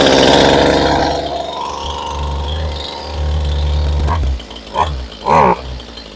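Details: Two-stroke chainsaw, hard to start, needs trigger held while pulling: revs roar then die out to sputters when the trigger is squeezed; starts and idles but stalls on throttle, owner suspects dirt in the carburetor.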